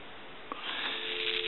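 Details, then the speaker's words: Takara French-style rotary desk telephone that had been dropped, plugged into a line: dial tone through crackling, popping and sizzling from the handset. Caused by a bad T1 carbon transmitter. "I want you to hear that there's all kinds of cracking and popping and sizzling coming from this handset and that's basically from the T1"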